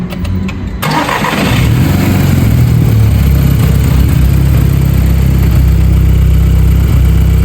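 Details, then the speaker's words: MK5 VW Golf GTI with misfire on cylinders 1, 2 and 3, after replacing the PCV valve: cold start in cold weather, heard from the rear; loud idle with a lumpy beat and occasional stumbles, still lightly misfiring but less shaking than before. "right guys so it's done now the PCV valve is on it's not as bad as it was before but you can still hear it a little bit misfiring if I come around to the back"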